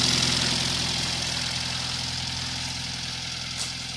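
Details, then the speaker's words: 1995 Honda EG with a turbo, 1000cc injectors and 255 in-tank pump, on E85: cold start, quiet even idle with a soft low burble and light hiss; air-fuel ratio near 14.7, no knock or misfire. "that's the E85 cold start starts up beautifully air fiels right down the 147 and this thing is incredibly"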